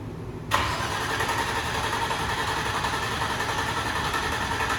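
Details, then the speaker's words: Nissan G35 with built engine and turbo kit, first start attempt after months off the road: starter cranks at an even pace for several seconds but the engine never catches; crank, no start, cause unknown, spark plugs suspected. "dead battery come on jesus okay sounds good it's not even like registering"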